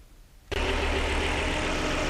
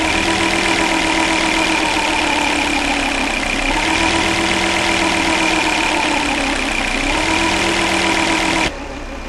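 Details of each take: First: 2000 Volvo S70 Turbo AWD, warm, idling evenly and steadily with no surging after its loping idle was fixed. Throttle position was adjusted to 7% and the part was reinstalled. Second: 2000 Volvo S70 Turbo AWD with a loping, hunting idle: speed rises and sags slowly instead of holding steady; owner doubts the idle air control valve is the cause.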